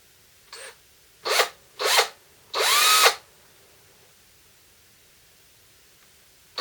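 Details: DeWalt 18V XRP cordless drill motor, after repair for smoke and burning smell: armature commutator cleaned with fine file, brushes refitted, before gearbox refitted. Short clean whirring bursts, no grinding or stutter; normal run.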